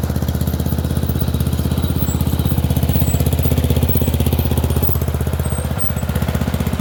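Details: Murray Select 30" riding mower test-driven up and down a driveway: strong, steady thumping at about four beats a second, even with no misses or surging; running okay, a little better, though the owner notes carburetor and gas tank issues.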